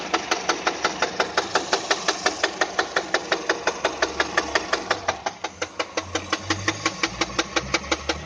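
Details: Peugeot 207 engine at idle: sharp, very regular tapping about two knocks per second over a steady idle; clear engine knock, cause unknown.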